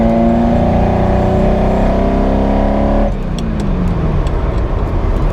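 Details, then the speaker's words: Ferrari 308 after a rebuild, still misfiring after the plugs were cleaned and then replaced with new ones: ragged, uneven revving under load that bogs with an irregular stumble. The owner suspects the ignition amplifiers under the coils. "Right, that is horrible. It's still running really badly."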